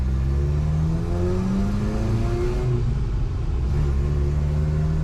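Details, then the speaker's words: Toyota truck, 185,000 miles, very tall gearing (about 32 mph in first) with big tires, after exhaust leak repair and head torque; steady engine drone pulling in low gear, pitch climbing smoothly, no puffing or ticking — exhaust leak gone, normal exhaust note. "Sounds like our exhaust leak is gone."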